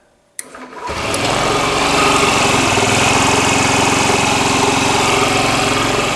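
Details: Sharp click, quick crank, then the small engine of a Honda Ruckus scooter catches straight away and settles into a quick, even buzz after key-on fuel pump check; starter works, starter problem suspected in relays or wiring.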